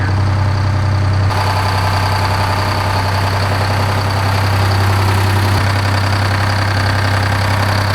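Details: 1975 Peterbilt 359 with a Detroit 12V71 two-stroke diesel, first start after 30 years sitting in a barn. Loud, lumpy, uneven idle with a hollow off-rhythm note; one bank is dead cold and not firing. The owner suspects a plugged exhaust.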